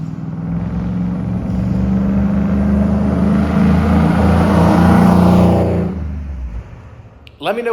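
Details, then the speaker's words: Trailblazer SS V8 during track prep, exhaust/muffler setup just installed: revs up, holds about four to five seconds, then drops; coarse raspy note under throttle, owner finds it too raspy and clappy. "to me it sounds a little bit too raspy a little too clappy I don't know if that's even a word to describe an exhaust"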